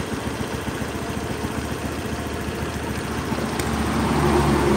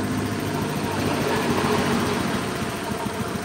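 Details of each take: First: Honda Beat scooter after TPS check and throttle body cleaning, idle being set around 1500–1600 rpm: steady even putter, revs lifting briefly midway then settling to a smooth regular idle. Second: Honda Beat scooter idling unevenly with a soft wet sputter while checking TPS and cleaning throttle body; injector delivering too much fuel, running rich, before adjustment/reset.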